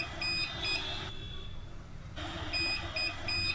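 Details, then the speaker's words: CP Plus CCTV DVR repeating high-pitched paired beeps with short pauses: hard disk error alarm, settings show no disk/error status; disk has failed and must be replaced. "यह beep beep का आवाज है इसका मतलब यह है कि हमारा हार्ड डिस्क खराब हो चुका है तो हमें इसे रिप्लेस करना होगा"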